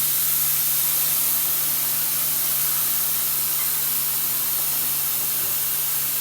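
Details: MCI MC5 bus with all-new air lines, parking brake being released. A continuous, even high-pitched hiss of escaping air over a faint low hum: an air leak somewhere on the left side.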